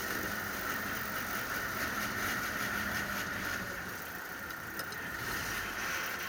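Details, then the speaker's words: Willys Jeep road test after fixing yoke issues, covers off so louder than usual: steady road-speed drone, none of the earlier loud drivetrain noise, drivetrain now sounds healthy. "so as you can hear it seems to be something much better there's none of that crazy noise we had previously which is excellent"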